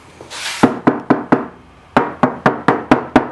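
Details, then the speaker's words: Knuckle tap test on the unrepaired quarter panel of an R32 bought at auction as a grade R car: about ten even taps, each a short clean knock with a hollow ring; the normal panel sound. "This quarter here, listen to it. It's very hollow. This is what it's supposed to sound"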